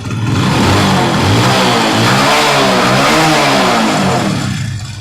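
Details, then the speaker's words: Splendor motorcycle after gear-shifting/dog repair: engine revs smoothly and drops back with no knocks or clatter. Before the repair it made a loud noise on every start; now a noise remains only when the kick lever is pressed. Healthy running. "देखिए दोस्तों इसके अंदर कोई आवाज नहीं है। बिलकुल सही"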